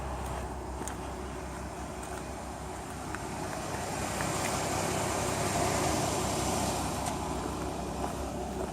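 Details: Chrysler 3.5L engine at idle: light, fairly regular tick about three per second over its hum.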